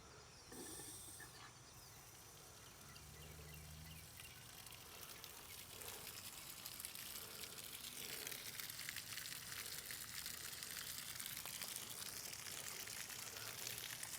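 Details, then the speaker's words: Discarded pressure washer with a Honda GX340 11HP engine, started then water turned on: loud hissing and splashing as water pours out everywhere. A suspected winter freeze crack in the pump block right behind the head; cracked pump leaking water. "Oh my goodness, she got water pouring out everywhere. Take and bring y'all over. I'm sure it won't be easy to see on camera, but it looks to me like we have a crack where it has froze during the winter."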